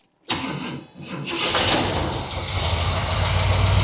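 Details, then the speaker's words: Abandoned 1977 Camaro RS, first start in years after adding fresh gas and spraying starting fluid into the carb: brief crank, fires instantly and builds into a steady rising idle. "Look at that, that was instant."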